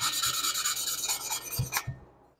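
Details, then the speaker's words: Lapping a valve on cylinder two of a rebuilt 1976 Porsche 912E Type 4 2.0 head (VW Type 4 design): rhythmic back-and-forth rasping strokes growing quieter and smoother, the tone sought as the valve face beds properly into its seat. "and as you do this it starts to hear and get quieter and quieter and that's what you're after you're after that tone"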